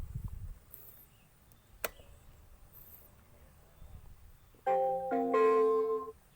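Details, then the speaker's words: Motorcycle fingerprint immobilizer rejecting an unregistered finger: a short bright chime with a "fingerprint not registered, try again" voice prompt; the bike cannot be started electrically or by kick, and an alarm follows after about 15 seconds. "sidik jari belum terdaftar sidik jari belum terdaftar coba lagi yang lain"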